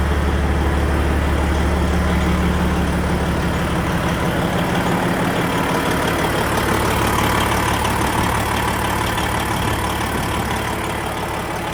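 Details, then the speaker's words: 389 truck idling in neutral after a newly installed wastegated turbo, through big stacks: deep steady diesel idle with an even low beat, no knocks or rattles, settles smoothly; healthy idle. "It's actually got a deep tone to it. Perfect, big pipes."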